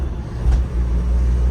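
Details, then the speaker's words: 2002 Toyota Qualis diesel after full mechanical work (suspension, silencer, clutch set), driving with AC on: deep drone swells smoothly as throttle goes in, no knocks or clunks; strong even pull, healthy engine. "നമ്മളിപ്പോ AC ഇട്ടിട്ട് തന്നെയാണ് ഓടിക്കുന്നത് എന്നാലും അത്യാവശ്യം നമ്മൾ കാല് കൊടുക്കുമ്പോൾ കുതിച്ചു കയറില്ലേ ആ ഒരു ഫീലിംഗ് ഇതിനകത്ത് നല്ലവണ്ണം ഫീൽ ചെയ്യും"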